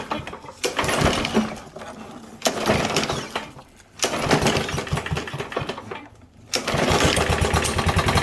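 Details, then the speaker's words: Troy-Bilt TB110 push mower (MTD), oil in air filter after tipping, started with carb cleaner: single-cylinder engine surging and sagging, nearly stalling, smoking while burning off excess oil; expected to clear. "so after we run it here for just another minute that'll clear up and it'll stop smoking"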